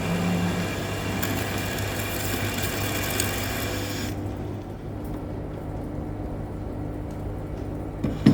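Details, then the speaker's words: Lathe machining a seized piston off a 120-tonne Komatsu mining excavator bucket cylinder rod: bright high squeal and hiss, dying away midway, from extremely hard heat-affected steel, likely heated during earlier removal attempts. "So that high pitch squeal you can hear is an indicator that that material is extremely hard."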